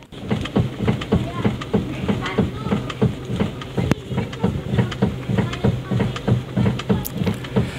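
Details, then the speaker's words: Toyota Avanza rocked at the steering wheel gives repeated dull clunks, about three a second; it also knocks over rough roads. The cause is a worn bushing in the steering rack. "kita akan membahas tentang Toyota Pansa dengan kendala atau trouble ada suara saat jalan rusak juga saat setir dibelok-belokan ini contoh suara pada saat setir dibelok-belokkan pada Toyota"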